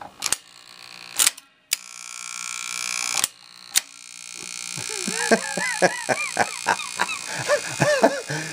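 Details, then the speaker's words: 1961 Seeburg AY100U jukebox mechanism under restoration: trip solenoid stays energised with a low constant buzz that gets louder, under irregular clicks and clacks; solenoid won't stay down, needs disassembly. Solenoid buzzing. "That's our trip solenoid. Let's see if I can get it to stop. No, it gets louder. I'm going to have to tear that baby back apart. Well, it's still buzzing and the trip solenoid won't stay down."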